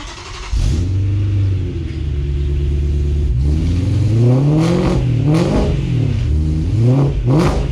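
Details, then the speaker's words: BMW E92 M3 V8, cold start after fitting Beamer World, X-pipe and Agency Power rear exhaust, before tune deletes cold start: loud, quick catch, high fast idle, clean sharp blips with deep exhaust note; healthy. "I bet it's gonna be super loud during cold start, but once we get the tune in the car, we're gonna delete cold start, so it should be good."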